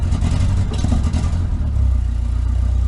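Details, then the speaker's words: Nissan 200SX S12 CA18ET at idle: steady idle turns lumpy with a stumbling off-beat pulse as cylinder 2 intermittently drops out; misfire, stuck injector suspected but not confirmed. "interestingly just sitting here waiting to go it's it's picked up a misfire it's it's lost a cylinder I would say it did it sporadically and now it's done it pretty continually kind of sounds like an injector that's stuck or"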